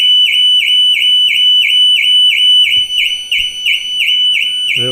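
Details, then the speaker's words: New Audi Q6 e-tron, right after remote climate start via the app: piercing, rapidly pulsing siren about three times a second without pause; false alarm that happens every time, and it can't be silenced from the app. "Klimatyzacja została włączona. Dobra. I aktywował się alarm. Dzieje się to za każdym razem."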